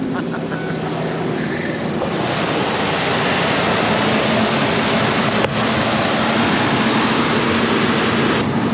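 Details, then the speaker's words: 2001 Ford Explorer started after a fresh battery and a jumper, with fuel at the rail: steady, even idle hum with no misses, knocks or surges, and it is charging; it later died on a test drive. "Runs cherry. Let's see if it's charging. Yeah, it's charging."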